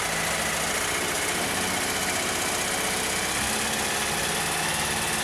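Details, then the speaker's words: Kawasaki ZR-7S (Zephyr 750-type four-cylinder) after repair: a headless, broken generator mounting bolt was replaced and a new cover gasket fitted. The earlier rattle is gone, leaving an even, normal idle. "ガスケットは新品に交換しカバーを取り付けます無事エンジンからの音は消えまし"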